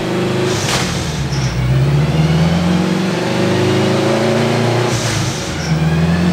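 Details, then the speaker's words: K24-swapped AWD turbo Civic on a hub dyno, built forged engine, Garrett turbo, ECU Masters standalone: hard pull labours and roughens where the B table carried extra fuel, then cleans up and pulls strongly. Rich stumble under load. "kind of here where the B table had a bunch of extra fuel there kind of fights through it then once it cleans up gets good air fuel it makes really good power right there"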